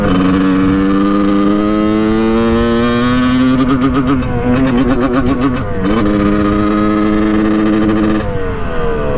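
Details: 1989 Kawasaki KX125 two-stroke dirt bike, warmed up, first test ride after a clogged pilot jet was cleaned and it was boggy off the bottom: clean rev climb, then rapid uneven thudding at the top end; sounds really lean, power valves to be checked.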